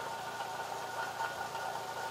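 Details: 2005 Fiat Palio 1.8 (fase 2) engine at quiet idle gives a faint, steady high-pitched whine with a light rough edge; a mechanic's stethoscope hose traced it to a worn water pump bearing.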